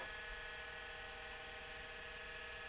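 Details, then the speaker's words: Apple HD20SC external SCSI hard drive (second unit) on a bench power-up test, not connected to the Mac: quiet, steady high whine with a faint even hum, no clicks or scraping; spins up normally, stepper motor not moving. "and it sounds pretty good the stepper motor isn't moving but that's probably because it's not hooked up to the Mac"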